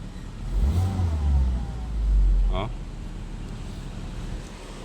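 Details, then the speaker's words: Car after fixing a cylinder 4 misfire found by scanner (coil checked) and clearing the check engine light; steady, even low idle with air conditioning on, no stumble or shake. Normal idle, check engine light gone. "Alr, nawala na rin. Ayan, maganda na yung kanyang idle"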